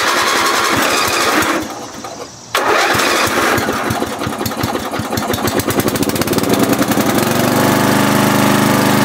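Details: 40-year-old Briggs 11HP single-cylinder lawn tractor after field repair: cranks, catches after a brief stall, settles into a steady even putter that rises smoothly; runs healthy.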